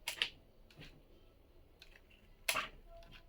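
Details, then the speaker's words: Scooter rocked by hand gives short, sharp high-pitched creaks and clicks, irregular with quiet between. The squeak persists despite greasing the upper traverses and handlebar and tightening the bolts, and the owner cannot locate it. "Не могу понять где. Не могу."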